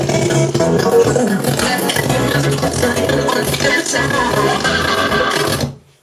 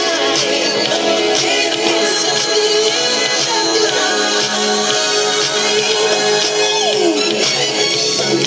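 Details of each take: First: Harman Kardon SoundSticks III speakers on an iMac playing music: fine at medium volume, but harsh crackling and breaking up at top volume; speaker distortion at high volume, owner unsure if speakers are faulty. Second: Harman Kardon SoundSticks III speakers on an older, larger iMac, owner reports sound breaking up at high volume; Thriller played at max volume sounds full and clear with no rattle, buzz or distortion, speakers performing normally.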